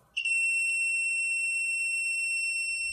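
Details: JBL speaker driver with cracking noise being repaired: multimeter continuity test gives a steady high beep for about three seconds, showing the voice coil is intact.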